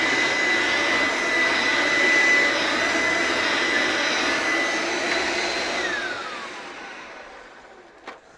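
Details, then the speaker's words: Electrolux The Boss USA-made upright vacuum after lubricating the brush roll bearings: strong steady high-pitched motor whine winding smoothly down after switch-off, no grinding or rattle; sounds much better, healthy. "well that sounds so much better now that I've um lubricated the brush roll bearings"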